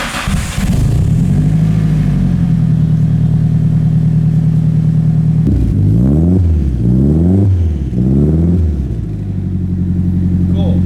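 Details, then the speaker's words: Nissan S13 hatch four-cylinder on stock cams, before a cam upgrade: steady smooth idle, then three clean blips that rise and fall evenly with no knock or tick; normal revving. "So, that's what the stock cams sound like."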